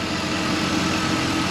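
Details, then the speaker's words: 2003 Chevy Suburban (GMT800) after replacing a failed AC clutch whose shorted coil kept blowing the fuse: engine idling with AC running, only a faint hiss, no rattle or grind; the compressor is quiet and healthy. "You hear the compressor? I don't hear it. It's a good compressor."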